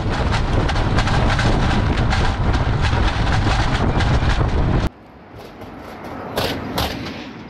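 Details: 2021 Tesla Model 3 driving over bumps: heavy low road rumble with rapid clattering knocks from Aero wheel covers gone loose over the years; loose wheel cover rattle.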